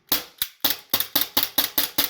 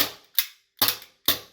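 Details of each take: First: APS CO2 gas blowback pistol after lubrication and a quarter-turn-out magazine valve adjustment so the hammer strikes firmer: a quick run of about a dozen crisp, evenly strong cracks with no weak or dead shots; the magazine and pistol cycle properly. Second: APS CO2 pistol, first magazine fired: three sharp thin, soft cracks with quick mechanical clatter; weak gas output, magazine valve likely needs backing out about a quarter turn so the hammer strikes firmer.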